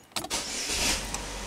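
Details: 2011 Chevy Malibu with intermittent no-crank, started with an ammeter fused in series with the suspect fuse: a click, then brisk, even starter whir holding steady without stumbling; normal cranking.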